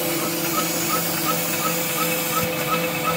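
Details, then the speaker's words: SVPG-2 slotting/drilling machine (Dnepropetrovsk plant), repaired August 2017, automatic mode: right table working, left table engages when it reaches the stop; steady motor hum with even light tick about three per second, runs smoothly. "Работает правый стол, когда доходит до упора, включается левый стол."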